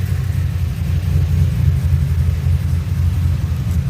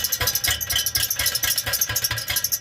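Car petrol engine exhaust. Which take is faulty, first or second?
second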